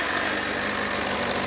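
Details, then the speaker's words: 2007 Kawasaki ZZR600, carbureted, 12,457 miles, cold start at about 40°F with choke on: steady even hum, idle rising as it warms, no knocks or misses; normal cold start. "that's it running. You'll hear the idle picking up as it warms up. Means you gotta pull the choke down, but we're not there yet."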